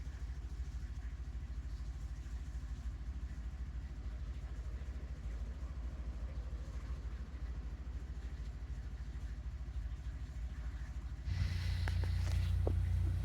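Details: Honda EP3 K20 with idle air control valve removed, blocked off and disabled in KPro, just started; steady deep, slow low-pitched idle that never rises to normal speed; idle too low without idle air control.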